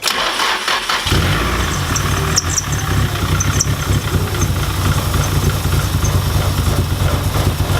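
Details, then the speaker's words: Nissan SR20 in a 240 that lost power at about 5,000 rpm: after reassembly it cranks and catches into a lumpy, rich idle; fuel pressure high at about 50 psi (spec about 43.5), plugs wet. "Well, that didn't work. Fuel pressure seems to be okay."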